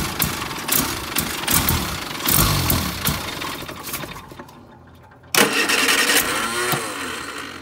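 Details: Austin Allegro with spare ignition coil just swapped in, throttle floored; ragged cranking and uneven firing, catching, stumbling and dying. Misfiring, hard starting; suspected sticking carburettor float needle or ignition, not confirmed.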